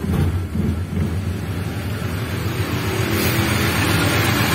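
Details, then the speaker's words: Suzuki Katana/Carry 1000 idling after repairing worn distributor (shaft play caused irregular points gap, stuttering and uneven idle): idle now smooth, steady, no shaking or misses; stumble on throttle gone. "bisa kelihatan disini untuk stasionernya sudah halus ya sekretaris Ini hasilnya sudah tidak goyang atau bergetar"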